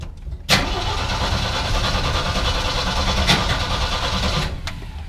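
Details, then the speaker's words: 1973 CJ-5 big six-cylinder first start after long sitting, pedal pumped several times: short crank then catches and runs rough and uneven at first, cold-blooded and crabby, then keeps running. "Hey look at that just a little cold-blooded I don't know if you can hear that or not but it is running"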